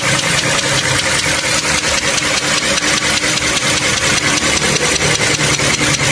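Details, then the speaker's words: Toyota Camry 3.5 V6 2GR engine idling with a sharp, steady clicking knock, about two to three clicks a second, audible inside the cabin, no compression leak; engine to be removed and overhauled. "Động cơ phát ra tiếng gõ như thế này. Nghe tiếng lách cách lách cách lách cách này."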